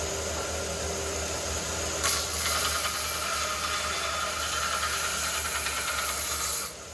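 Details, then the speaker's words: Pencraft JC Penney belt sander after restoration with rebuilt motor, belt worn: starts about two seconds in, runs with steady even hiss and rasp, no knocks or rattles, then stops; normal running, sounds healthy. "well check this out guys I got it back together got a new belt rebuilt motor and I got to get a new belt though this this one's kind of worn but it works still and listen to this is perfect"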